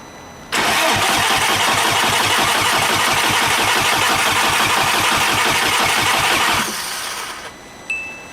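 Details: Big-turbo VW GTI first start after rebuild, on jack stands, after fried ECU replaced with reflashed spare: steady rapid cranking about three beats a second for six seconds, never catches; cranks but won't start.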